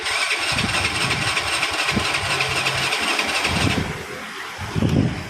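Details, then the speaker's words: Grand motorcycle that starts easily on the kick starter but not on electric start, with battery and starter wiring checked OK: starter spins fast and high-pitched for nearly four seconds without catching; ignition fault. "Well, from this phenomenon, it is starting to be seen, Bro, that This double start motorbike is difficult to start the engine because there is a problem with the ignition part."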